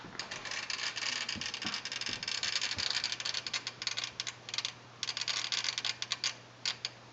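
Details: Sony STR-DA555ES AV receiver, old unit: suddenly began fast irregular high-pitched clicking in bursts over a faint low hum while watching TV, a relay chattering inside; fix not yet known.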